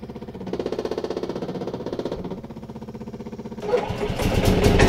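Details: Yamaha G29 golf cart right after fitting a new switch in place of the badly faulty one: engine cranks with a steady chuff about four times a second, then catches and revs up evenly; starts and runs normally.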